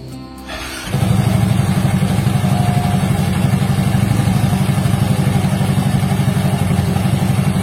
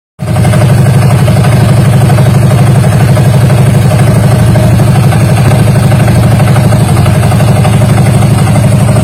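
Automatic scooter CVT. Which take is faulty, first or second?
second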